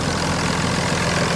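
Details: Cummins common-rail diesel swapped into 2001 Ford truck with 2006 6.0 Powerstroke electronics, factory alternator: steady idle clatter, low even rumble, no belt squeak or chirp thanks to correct belt alignment.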